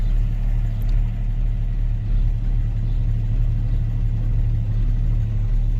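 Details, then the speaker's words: Jeep Grand Cherokee ZJ, jump-started after a dead battery, idling with temperature gauge climbing high (owner suspects low antifreeze); deep steady low rumble at idle that stops when driving, cause unknown: idle rumble. "I don't know if you can hear that rumbling. It stops doing it when I drive, but it's really doing it right now."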